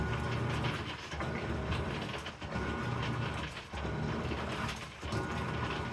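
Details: Amana NTW4519JW3 washer, bought new July 2023, agitating with rough crackle and ratchety clicking returning each stroke, about every second or so; cause unknown.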